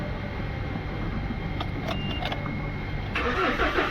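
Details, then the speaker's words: BS-6 Mahindra Scorpio S9 diesel, check engine light on, DTCs P0651 and P2463: starter cranks steadily about three turns a second but never starts; fault traced to a shorted differential pressure sensor. "यहां पे देख सकते हो। Cell लग रहा है but start नहीं हो रहा है।"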